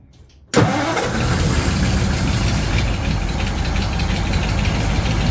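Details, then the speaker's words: 1936 Ford 1½-ton truck, 8BA flathead V8 converted to 12 V negative ground with Pertronix ignition, cranking after six years, choke pulled: steady cranking churn that never catches; mechanical fuel pump not drawing fuel, no start. "any fuel coming in yet don't see any it's not pumping anything yet"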